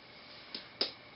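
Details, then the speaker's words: Electronic learning board relay driven by 555 timer to switch a 120 V AC lamp for a fixed duration, triggered by pressing S1: two crisp clicks as the relay turns on then off after the set time; relay working normally. "and the relay turns on and then it turns off after duration"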